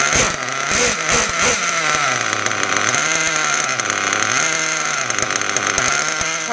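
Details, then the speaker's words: Mugen MBX6R nitro buggy freshly started on street tires: high raspy idle sags as brake is applied then recovers; throttle/brake linkage needs adjusting. "I need to uh fix my link setup you could hear the was going the idle and that was just just cuz when I was applying brakes the RPM was dropping so I just need to tweak it a little bit"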